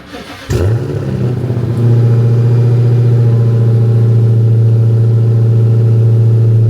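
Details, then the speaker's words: Chrysler 300 Redeye after rebuild, previously misfiring: cranks, catches cleanly, blips once, then settles into a deep, smooth, even run with no misfire; check engine light on but no codes stored. "remember when they first dropped it off to us it was misfiring listen to it now sounds pretty good"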